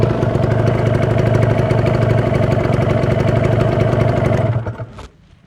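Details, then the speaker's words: Kawasaki Ninja two-stroke checked before purchase: crisp, steady idle at about three pulses a second with no misses, then it shuts off. Easy cold start and smooth sound indicate a healthy, well-maintained engine. "itu jadi kondisi dingin gampang dinyalakan itu motor masih bagus motor terawat itu ya"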